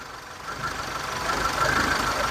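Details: 2006 Mitsubishi Lancer with waste spark ignition, hard starting, loss of power and poor acceleration: engine idles with an uneven, stumbling random misfire, traced with a test light to a leaking spark plug wire needing replacement.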